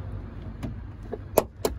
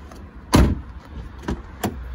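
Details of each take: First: Car door swung slowly gives two sharp clicks about a quarter second apart halfway through travel; door check strap jumping because its mounting bolt has worked loose. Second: Car door check strap after tightening its loose Torx bolt: a single soft door thud and a couple of light clicks, then quiet; the cracking noise on opening and closing is gone, normal check strap operation.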